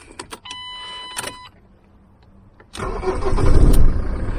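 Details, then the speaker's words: Diesel van with a StopMyEngine 12V Bluetooth immobiliser, restarted after the phone reconnects: key clicks and chimes, a short crank, then the engine catches and settles into an even idle; normal start and idle. "Right, it's running now, and I will do it again by turning off my Bluetooth."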